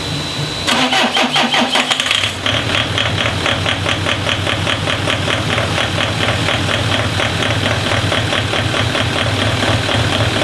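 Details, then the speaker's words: JD DervBus project after ECU timing adjustments, engine already warm, extractor fan running: short crank then catches into steady, even idle; starts and runs cleanly. "I'm at a point now where I'm able to actually turn the key and it should fire up"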